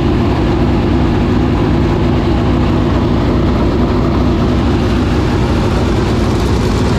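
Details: 465 cubic-inch V8 race engine running for the first time in three years, after getting better fuel pressure: a loud, dense roar holding steady without misfires or stutter; normal running.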